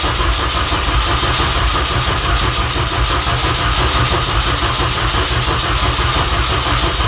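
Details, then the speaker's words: 2006 Mini Cooper S R53 after a cylinder head replacement: even starter churn at cranking speed with no firing, coil pack connector disconnected to prime oil before the first start. "pull the coil and this is all going by mod mini's video pull the coil pack uh connector crank for a bit get some oil into the system"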